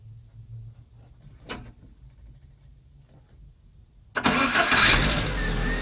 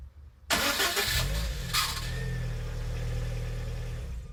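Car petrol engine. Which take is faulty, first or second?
second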